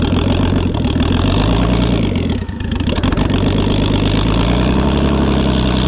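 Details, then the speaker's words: BMW E36 freshly fitted with a turbo and no tune, smoking heavily, previously gutless with rod knock blamed for stink: deep, uneven, lumpy idle with a dip midway, running really rough; raw turbo sound, deep like a semi. "It's definitely running really rough."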